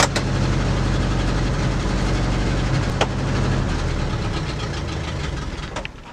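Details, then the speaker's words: 1965 Ford Galaxie 500 V8, back on the road after about six years, breaker points resurfaced: lumpy uneven idle that sags and nearly stalls; owner suspects vacuum leak, later leans toward carburetor mixture. "So the plan is is just keep kicking that little idler up until we can get it going unless it starts sounding like oh let's just start sounding like it's idling excessively odd um pretty sure we do have a vacuum leak"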